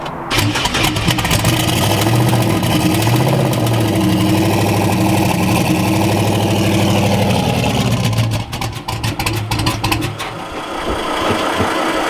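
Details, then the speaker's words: Turbo Camaro street car, 5.3 iron-block V8 with head gasket blown out (air escaping between block and head): starts, revs, then idles unevenly with lumpy stumbling beat and speed dips; rough running. "The head gasket is literally blown out. Well, she doesn't sound pretty."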